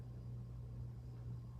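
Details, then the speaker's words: Zhiyun Smooth 4 gimbal, bought in February and used on two trips: steady low hum with constant buzzing vibration right after power-on, shaking nonstop until switched off; owner suspects the motor bearing, unconfirmed. "that vibrating noise and I believe it seems to coming from back at the bearing here right there seems to fight braid by itself and it doesn't stop"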